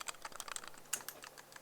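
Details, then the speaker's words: Action camera in DJI Osmo frame cage, shaken near the microphone: irregular sharp light clicks and ticks at a few per second; camera loose in the cage rattling. "put it near the microphone it rattles it's rattling"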